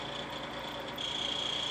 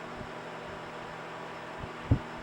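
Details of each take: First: Vornado fan running a couple of minutes: thin steady high squeal rising over motor hum as it slows and sputters, something rubbing inside the motor; owner suspects dust in the motor, fixed by cleaning. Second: Vornado fan after cleaning, running about three minutes on high: steady even low hum, no squeal or rattle; normal quiet fan motor.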